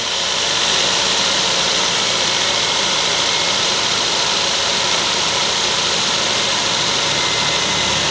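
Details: Toyota Vios petrol engine idling steadily after replacing a failed ignition coil and spark plugs that caused a misfire; even hiss-heavy tone with no stumbles or skipped beats, misfire gone.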